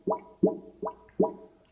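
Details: Kitchen sink drain: four hollow gulping plops about half a second apart, then quiet, as air pushes back through; it later belched dirty water, owner suspects a backed-up sewer; drain gurgling.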